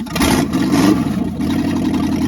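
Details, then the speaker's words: Freshly rebuilt small block V8 on run stand, first run on open manifolds; fired up quickly, steady even running, no knocking, tapping or rattling. "I was happy uh that uh it fired up so quick and it sounds good. >> Sounds very good. I don't hear any knocking or rattling or nothing."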